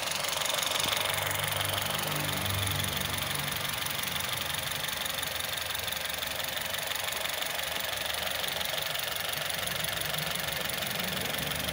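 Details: Honda City i-VTEC idle with regular uneven stumble about three beats a second; one cylinder misfiring from failed coil pack.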